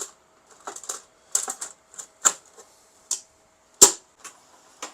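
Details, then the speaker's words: HP LaserJet P1102 running normally after fixing its grinding noise by removing a fallen plastic piece and screw from under the toner: scattered light clicks and ticks over a faint steady hum, no grinding. "okay now there is no more voice hope you understand it"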